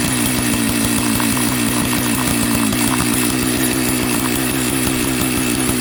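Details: Jonsered 930 project chainsaw restarted at high idle, with a suspected loose spark plug connection: loud, fast, even burble at steady throttle with no misses or surging; normal consistent running.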